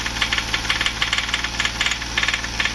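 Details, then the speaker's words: VW Polo 1.2 with engine rebuilt elsewhere using aftermarket piston and gasket, timing and original injectors corrected: sharp metallic knock about seven per second over idle, following engine speed; head or piston problem suspected, unconfirmed; engine knock. "तो friends इसके head में या piston के जो ठोकर में होता है उसमें दिक्कत है क्योंकि टॉप हमारा केक ले रहा है इसके करण एक लेटर तो शो कर आवाज कर रहा है"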